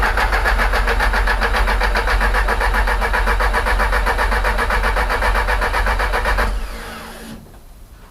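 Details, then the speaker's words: 500bhp Audi A3, first start after rebuild with new performance gearset, intake pipes off; cranks, catches and settles into a steady even idle with no bangs, oil pressure rising before shut-off: normal start and idle. "that sounded all right to me but the injectors in one two three four would it start four and a half cause oil pressure picking over I am calling that a win"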